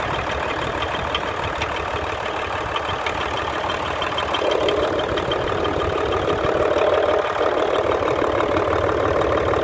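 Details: Hino Euro J08C six-cylinder truck diesel at idle with a regular light knock, about three per second, coming from the air compressor side; the noise drops somewhat when a hand is pressed on the part. Air compressor connecting rod knock.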